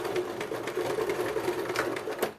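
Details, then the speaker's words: Janome 2008 domestic sewing machine stitching thick synthetic Vintage fabric (1.4 weight, microfiber back) forward: quick, even rhythm that never labors; sews cleanly, though reverse does not go back as well. "O retrocesso não volta tão bem, não. Mas pra frente a bichinha vai que é uma beleza."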